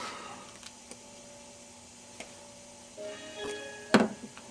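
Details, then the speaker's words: Samsung UN32EH4003VXZ LED TV, standby LED blinking once, cable to LED driver board disconnected: faint clicks then a two-note power-on chime as backlights light, so 13 V reaches the panel. "you hear that time back lights are on again you can hope this is showing through the video the back lights have come on and chimed wow what does that mean we've actually got voltage coming to the panel"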